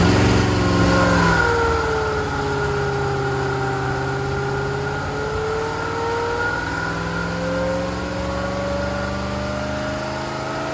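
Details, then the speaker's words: Rebuilt classic Rover P6 V8 (bent rod rebuild) under load on engine dyno, heard from outside, pull from 2,000 to 4,900 rpm: even V8 note climbing smoothly from low to high revs, no knocks or rattles; normal running under load. "found the dino pumps we're going to do a quick Dino Pole now we're going to do a quick run from 2,000 RPM to 4,900 just so you can see it and hear it from out here"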